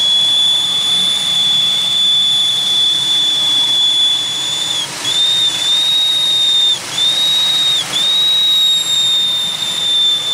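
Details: 2001 Pontiac Aztek, recently revived, idling with the heat on: a steady high whistle holds one pitch, dipping briefly now and then. It is a squeal from the engine bay of unknown cause, possibly from the back. A misfire is still reading and leftover coolant may be burning off.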